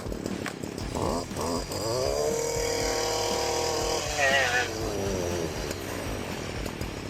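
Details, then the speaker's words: STIHL FC 56C edger that would not reach full throttle, after air filter cleaning: small two-stroke picks up cleanly to a steady high buzz, holds, then eases back down; running smoothly. "That sounded pretty good. Well, that baby's moving now. So after a slight adjustment, we got it sounding really, really good."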